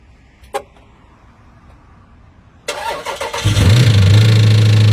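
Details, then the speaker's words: 2014 Jeep Grand Cherokee 6.4L 392 Hemi SRT Scat Pack, supercharger removed, ran rough after a burnout: cranks, fires and idles low with a dull regular knock about twice a second deep in the bottom end; cause unconfirmed, stalls. "So this vehicle right now does run, but it's kind of running with a weird noise in the bottom end of the engine. So I'm gonna just start it up really quick so you guys can hear it."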